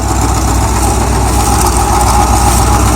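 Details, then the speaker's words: Idle recorded under the car near the exhaust: a fast, loose metallic buzz from something broken inside a brand-new catalytic converter. The engine was losing power, and no valvetrain noise was heard from the top. "there's something internal in a catalytic converter which is actually new"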